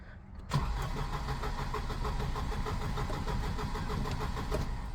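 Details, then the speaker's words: Volvo 240 with K-Jet (CIS) fuel injection, barn find: strong, brisk even cranking for about five seconds but it never fires; owner suspects it is not getting the right amount of fuel. "as you can see though for whatever reason it won't start oh thought spoke too soon then see if we can let it Prime for a minute let's try again nothing I think it's not getting the right amount of fuel"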